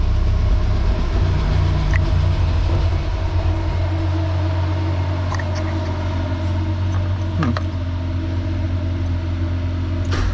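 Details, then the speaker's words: Nissan 240SX with CA18DET, first start, no coolant lines or intercooler piping connected: heavy, lumpy low idle with an uneven, loping beat, running rough and sounding like it's missing. Cause unconfirmed. "so let's see if this thing's gonna start oh it ran sounds kind of bad"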